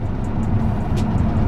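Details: Toyota A90 Supra, driving under acceleration, before fitting AMS wind buffeting kit: deep throbbing low rumble pulsing through the cabin; open-window wind buffeting, cured by fitting deflectors.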